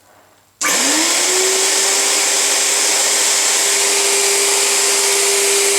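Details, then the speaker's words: Premiere Mini 175 motor after its dust-clogged internals were cleaned; it sounded rough before. Spins up within half a second to an even, high rushing whine with no rattle or grind. Runs much better, likely fixed. "Well, that sounds much better than it did before. I think I've fixed it."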